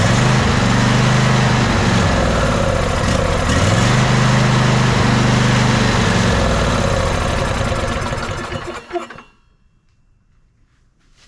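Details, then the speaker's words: Ariens 20 hp riding mower, sat unknown time: starter churns steadily eight seconds without catching after starting fluid burnt off; crank no start, suspected no fuel or gummed carburetor. "definitely either not not getting fuel or the carburetor gummed up I'm not sure exactly how long it's been sitting"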